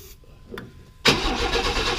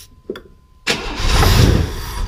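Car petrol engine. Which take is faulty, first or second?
first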